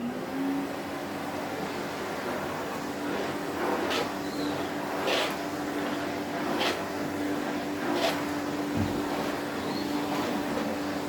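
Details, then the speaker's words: 1972 Electrolux Z310 cylinder vacuum cleaner after its very dirty fans were cleaned and the motor bearings greased: steady, smooth, quiet motor hum with an even tone and occasional floor-tool bumps; normal running after repair, formerly very noisy. "so we'll give her a quick runaround just so you you can hear how quiet the motor is"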